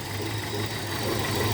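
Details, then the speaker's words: 2002 Hyundai XD (Elantra) petrol engine idling with an uneven, lumpy low beat and shaking, running on three cylinders; cylinder one misfires completely, spark plug and lead suspected. "بسبب قطع البجيه رقم واحد بص هنا قد ايه بتتهز المكنه بص مش عارف باين الهزه ولا لا شايف هي دلوقتي دايره على ثلاثه سلندر سلندر رقم واحد قاطع نهائي"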